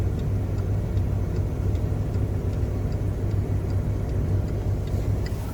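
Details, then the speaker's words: 2008 Chevy Malibu LS, seven months into ownership: light, even turn-signal ticking at roughly two or three clicks a second, played through the speaker, over a low steady engine idle; all lights working, no bulbs replaced; normal turn signal. "So that comes from the speaker."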